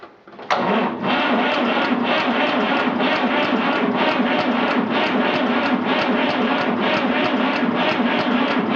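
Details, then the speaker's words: 1959 Fordson Dexta 3-cylinder Perkins diesel, sat about 6 months, very cold, small battery, ether used, glow plug not heating: slow labored even cranking about three beats a second, never firing; insufficient cranking amps suspected. "it's turning it over slow but evenly I think this thing just doesn't have the cranking amps"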